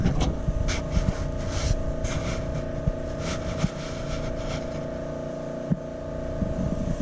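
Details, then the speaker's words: Truck charge-pipe boost leak test, intake pressurised: steady hum with only handling knocks and no hiss on this side, while welded joints on the other side leaked. No boost leak. "so i'm going to go ahead and pull that charge pipe off everything sounds good on this side"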